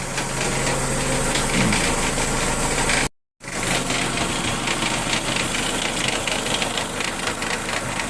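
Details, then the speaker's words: Cheap Dodge Neon automatic with a stalling problem, front wheels lifted about four inches and spinning: harsh, gritty rattling drone from the transmission; torque converter found bad, transmission to be replaced. "but you can hear that noise if you see a sticker there's a sticker right there that's what the transmission is that's how I found my noise tonight"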